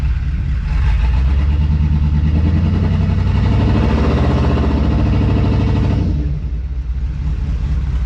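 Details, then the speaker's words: 2002 2500HD, after adding about 3 quarts ATF to operating range; engine holds steady drone then drops, still won't move; later no reverse, weak forward, no park; owner suspects burnt rear band or shifter linkage out of adjustment. "Still doesn't seem to want to move anywhere. I'm going to give it a minute. And then I'll start it again. See if I still need to add more fluid to it."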